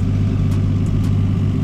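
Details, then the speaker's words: Nissan R33 GTR after a full HKS GT34R single-turbo kit upgrade, idling low, steady and even with no misses, knocks or hunting; it used to idle aggressively before the upgrade and now runs smoothly. Normal idle. "it runs so good bro like it's just idling perfect like before it would idle like really aggressive like and it didn't sound bad but it just sounded [ __ ] mean this just sounds like perfect like nothing everything is just running flawlessly"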